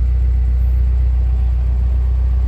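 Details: 1995 Toyota Starlet SEG 1.3 carbureted engine idling, heard at the exhaust: low steady rumble, even beat, no misses; tailpipe dry with slight normal soot, no oil burning.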